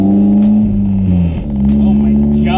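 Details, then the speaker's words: Honda S2000 with the old exhaust removed, running on an open test pipe before a 70 mm titanium exhaust is fitted: a loud, raw drone with a low booming note that swells and sags with throttle, and everything in the car rattles. "everything is rattling in my car this is something I might have had in high school but something I no longer desire"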